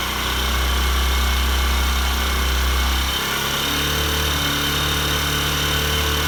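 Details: Honda Bros 150 single after engine teardown for a knocking noise, decarbonising and clutch work, warmed up on first start: smooth, even low hum shifting slightly midway, now quiet; normal idle.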